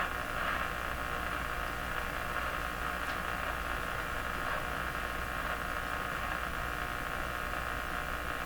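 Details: Hallicrafters TW2000 World Wide radio with suspected failing power supply filter capacitors, before their replacement. A steady hiss over a low constant hum with no station, heard when switching bands; atypical static, abnormal noise, cause not yet confirmed.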